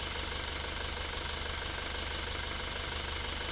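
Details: Isuzu Panther automatic diesel, rebuilt (piston rings, valve seals), idling: even clatter around two beats a second, no misses or stumbles, and very thin smoke. Healthy.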